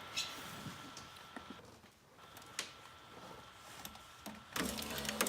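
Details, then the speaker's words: 2004 Saab 9-3 passenger power window moving up and down. A faint motor hum carries scattered sharp cracks and ticks. The regulator's cable-and-pulley mechanism is probably snagged or wrapped, so the regulator and motor are being replaced. "they're moving the window up and down here you can count here that cracking sound that is what's wrong with my window regulator something in there with the cable and pulley mechanism that runs it looks like something's probably tripped up or wrapped around where it's not supposed to be"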